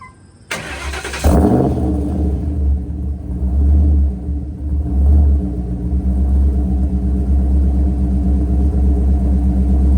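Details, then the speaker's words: Mercury Grand Marquis 2-valve V8 with custom-grind cams, IAC valve idle fix with modified AFE intake: starter cranks briefly, engine catches and settles into a lumpy, loping big-cam idle that holds steady without stalling. "But we'll start it up real quick and let it idle, and we'll see how the cams sound."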